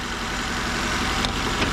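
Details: 2004 Nissan Sentra before repair: a shaky, stumbling idle where one cylinder drops out, with no misfire codes, only an air-fuel ratio sensor code. Injector wiring shows power and pulses. A clogged fuel injector is likely; replacement or cleaning planned.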